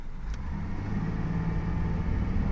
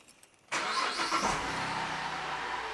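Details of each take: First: Holden VZ Commodore road tested after diagnosis of an intermittent miss (plugs and two coils replaced earlier), full throttle up a steep hill: deep, smooth rumble builds evenly with no stumble or hesitation; pulls cleanly, no misfire. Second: Holden VZ Commodore with intermittent miss, fuel pump relay pulled for a relative compression test; three cranking bursts with a harsh metallic ring over slow turnover; faulty starter motor and ringing ring gear.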